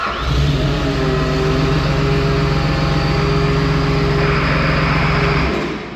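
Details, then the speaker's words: Ex-military John Deere 850J dozer with rebuilt engine, just started: a heavy diesel drone sounds held down and strained, its pitch sagging, because the hydrostatic pumps still load the engine at idle; owner thinks the transmission needs calibration. "That sounds lovely. She's still putting a load on it."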